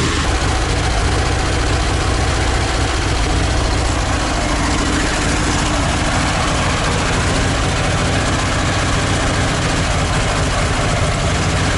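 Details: ZAZ 968M air-cooled engine after standing, fuel pump repaired and carburetor adjusted: loud but even idle holding a steady rhythm without hunting or stalling over twelve seconds. Normal idle.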